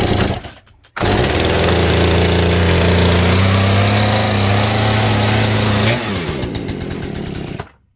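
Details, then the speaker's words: Poulan P3416 34cc 16-inch chainsaw, hard starting and stalling, just fitted with new Hipa C1M-W26 carburetor out of the box: high buzzing rev holds unevenly a few seconds, sags and dies; carburetor needs adjustment. Rough running. "She needs adjustment. >> Might need adjustment."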